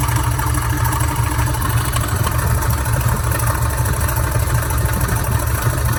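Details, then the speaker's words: Older Dodge truck idling in park, with a harsh gravelly rumble and rough churning over the firing beat, gone when shut off. Owner hoped for an accessory pulley, alternator bearing or tensioner. "I'm sure hoping hoping it's just one of the accessory pulleys and what I mean by that is something along the lines of the a bearing in the alternator or a little tensioner right here or something like that"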